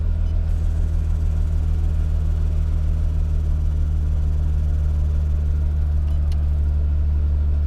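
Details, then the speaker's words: Nissan 300ZX A/C blower motor on high speed (the fan control button doesn't work): loud, steady low droning rumble, a noisy blower motor. "get it on a high speed here, my fan control button doesn't work, so as you can hear, we got a pretty nasty noise."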